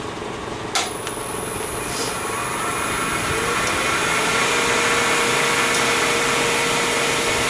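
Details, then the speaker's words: Resin pen blank turning on a lathe: steady spindle whine under a rough, scratchy cut with quick ticks about four per second; tool taken too hard, chipping out (blowouts) instead of cutting ribbons. "when you hear that it's because it's doing that it's shipping out instead of cutting the ribbons you don't want to hear that noise"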